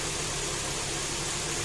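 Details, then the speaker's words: Kia Optima 2.4 G4KE after third engine rebuild with clearances measured, A/C off; steady even hum with smooth hiss, no knocks, ticks or extraneous noises; normal idle. "обычно а так никаких посторонних звуков и шумов нету"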